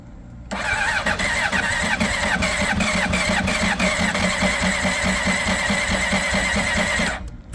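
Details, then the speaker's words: 2005 Honda CBR600RR, about 38,000–40,000 miles, long stored, first start attempt on its battery; starter churns about six seconds in uneven, labouring pulses without firing; owner suspects a weak battery, and with a booster it then started. "I want it to crank first anyway. H I don't think that battery is too good. Put the booster on."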